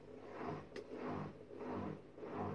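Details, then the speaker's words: Washing machine after checking the drum motor's carbon brushes (fault: two beeps, motor wouldn't start): soft whirring surges rising and falling about twice a second as motor kicks in; odd noise but normal start. "un drôle de bruit mais c'est normal"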